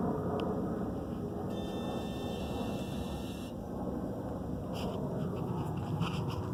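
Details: 2017 Dodge Charger Scat Pack 392 parked with engine off: steady low whirring hum that returns a while after shutdown; starting the car stops it, car runs great, owner suspects some diagnostics running; cause unconfirmed.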